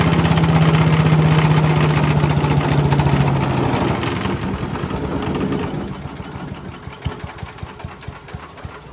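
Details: Mighty Mac wood chipper/leaf shredder, free non-running unit, small single-cylinder restarted after replacing the rusty seized choke flap, thumps roughly with shaking rattly note, then winds down; violent vibration, likely out-of-balance rotor.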